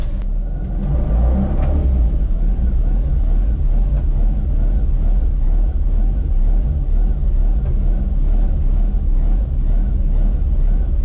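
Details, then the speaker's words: Rotary-powered Baja Bug being driven, apparently after repair work: a steady, deep, fairly subdued drone with light rattles in the background. The exhaust is now much quieter. "see how quiet this thing's going to be oh man it's so much quieter"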